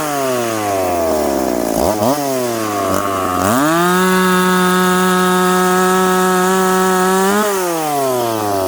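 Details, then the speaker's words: Piped McCulloch Pro Mac 850 chainsaw cutting oak after chain sharpened and rakers set, on a well-worn bar: revs up, then holds a steady strong howl under load through the cut with no bogging or stutter; normal cutting. "chain definitely cuts better now we ran out of oak but uh we got what we needed out of this test"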